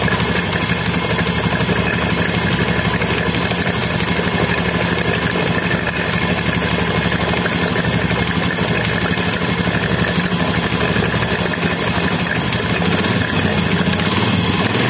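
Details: Motorcycle in an engine head noise repair: even, quick single-cylinder idle with a steady beat and no tapping or clatter from the head; normal idle.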